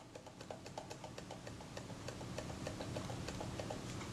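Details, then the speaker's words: Kodak Retina IIIS camera, whose lens is probably later than the body, is shaken: quick uneven clicks and light metallic ticks from loose shutter components on the front of the camera, a loose shutter assembly rattle needing attention. "the shutter four components of the shuffle loose on the front of the camera that's also something will need to be attended to"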